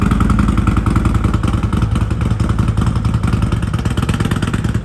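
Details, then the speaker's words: Harley-Davidson Road Glide 114 just after an S&S 475C cam install, still on the untuned stock base map: a loping, uneven idle with irregular thumps at about three to four a second; it runs rough until tuned. "It's not tuned, so it ain't gonna sound right, but here, you can hear it already."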